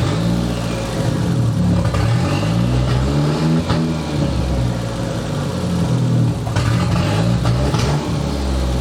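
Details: "!200" engine after catalytic converter removal, running worse, coils swapped: revs climb and fall unevenly with brief dropouts and mid-rev hesitations instead of pulling cleanly. Feels fuel-starved though fuel pressure is about 38 psi. Misfire under throttle.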